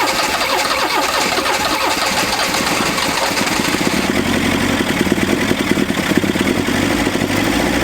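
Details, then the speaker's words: 1981 Toyota Hilux RN46, twin-carburettor 18R-GU engine, first start after three years sitting, with carb cleaner: catches and settles into a steady, even idle with no misses, knocks or rattles; compression good; normal idle. "that is why you buy a Toyota because this thing has been sitting on old mates farm for three years it hasn't been started"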